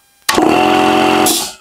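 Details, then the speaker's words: Air compressor that powered on but would not start, after oil change, contact cleaning and a new start capacitor: catches instantly and settles into a steady, even buzzing hum; the faulty start capacitor was the cause. "пробуем виноват пусковой конденсатор вот работает с полоборота"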